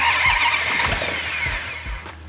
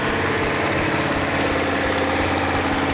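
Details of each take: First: 1971 Hemi Cuda with 426 Hemi and carburetors, first fire-up after rebuild; uneven, lazy firing with ragged pops that die back rather than a crisp idle; ignition timing judged too retarded. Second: Rebuilt original 426 Hemi V8 in a 1971 Hemi Cuda, after timing and carburetor adjustment: a deep, even, lumpy idle with no skips or pops. Normal idle; all 8 cylinders firing equally.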